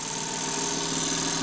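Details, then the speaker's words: JLS 13-2 model twin-cylinder live-steam engine with Stephenson valve gear, run on compressed air after fixing a loose screw that had jammed it; rapid even chuffs into a smooth hiss at low pressure, no knocks, running cleanly. "donc elle tourne superbement à l'air à des pressions très faibles"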